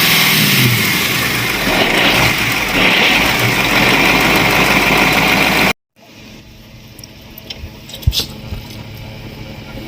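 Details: Cat 3208 starboard marine diesel, restarted after repairing the fuel plunger and barrel that had stuck from corrosion after 18 months: cranks, catches quickly and settles into a steady, even diesel clatter with no misfire.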